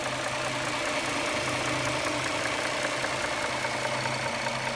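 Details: 2009 Dodge Charger 3.5L V6 at idle: a light, fairly quick steady tick, roughly two per second, of unknown origin, first noticed around 6000 km ago, with occasional pinging; the source is still unidentified.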